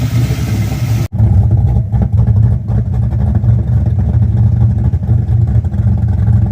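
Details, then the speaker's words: Car back on the road after 27 years, restarted after clearing a flooded engine: steady, deep, even burble idling smoothly with no misses or knocks; fuel pressure regulator dead and overpowering the carburetor floats, idle hunting earlier. "Oh, she sounds mean. All right, now that I'm over my rookie mistake of flooding the engine, she's running great now."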